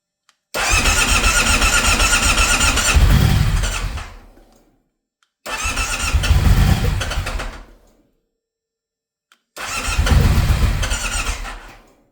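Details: Stelvio failing to start: three cranking bursts of about four seconds each, the starter turning the engine steadily but it never catches, a cranking no-start.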